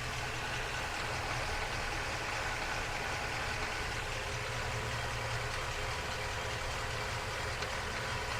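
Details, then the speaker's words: Ford F350 7.3 V8 with 10-speed automatic, about 2,500–2,600 miles, recorded under the truck at idle: faint steady knock over engine note, likely coming from the transmission, not confirmed. "so let me know if you can hear this knocking noise I don't know if it's coming from the engine or the trance"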